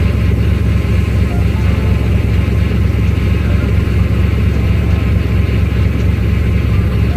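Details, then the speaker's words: Four-valve Mustang V8, no mass air flow sensor, intake manifold runner control flaps tied wide open, power steering hose just tightened: steady, slightly uneven idle with low rumble and no knocks; owner reports it ran funny and was slow to start. "and it ran funny it took long to start all type of weird stuff"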